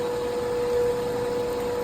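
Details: Pump number one, the water recirculating and jet pump on an old Infinity Spas hot tub, running at high speed: steady, even motor hum with constant tone around 500 Hz; healthy, unlike the bearing-worn pump two.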